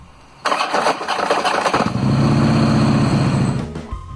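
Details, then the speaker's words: 2009 Harley-Davidson Road King, 96 cubic inch engine, hot start: harsh clattering clunks through cranking and catch, then settling into idle; worn engine compensator with a weak spring pack. "it made you cringe you're not alone that's what a noisy compensator with a weak spring pack sounds like"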